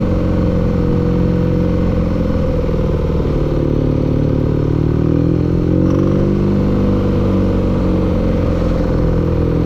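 Revs rise and fall with a rough clattering knock under the exhaust note; the engine is knocking, cause not known.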